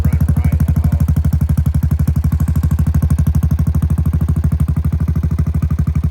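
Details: 2017 Honda Foreman Rubicon 500 IRS 4x4 single-cylinder ATV after a top-end rebuild with OEM rings, following submersion, first start; steady, even thump about three beats a second, no knocks or misses; normal idle.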